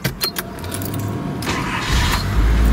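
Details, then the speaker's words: JDM 1995 Nissan D21 Datsun fire truck; short crank then fires right away into a steady smooth run, no stumbling; never needs pumping, always fires right up. "fuel injected because I've never had to pump it or anything it always just fires right up"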